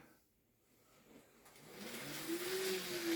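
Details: Second-hand Kato N gauge CSX loco: quiet, even motor whir rising as it gets moving; the earlier motor squeal has gone and it runs smoothly.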